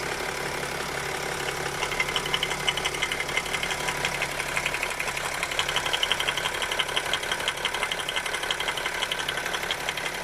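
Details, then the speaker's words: BMW X5 E70 M57 diesel at idle, heard through the open oil filler. A steady light knock of about three per second comes from the camshaft-driven vacuum pump's floating coupling. It is harmless and normal. "а вот насколько как вокруг это нормальная работа привода слова и привода вакуумного на фото он должен включать потому что он плавают"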